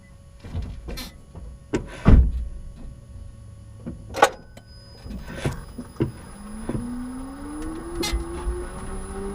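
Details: 2015 Nissan Leaf 24kWh: a new squeak from the front; after some knocks and clicks, a thin tonal squeal rises in pitch as the car gets moving.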